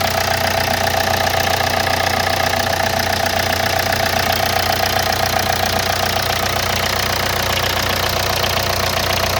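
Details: Hyundai Santa Fe DM 2.2 diesel, cold start: steady, even knocking about two and a half per second over the idle, disappearing after 3–5 minutes warm-up; owner suspects hydraulic lifters, unconfirmed.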